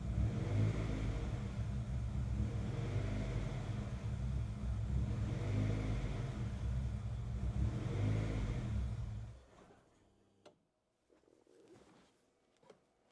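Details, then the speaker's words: Honda CR-V idling on its own power after a new fuel pump and fuel filter, codes cleared and no check engine light: low, uneven, lumpy chugging that stumbles before dying away. It is still misfiring, source undetermined. "All right, so car's running right now. It's running its own power. It's still missing. I can hear it pretty bad."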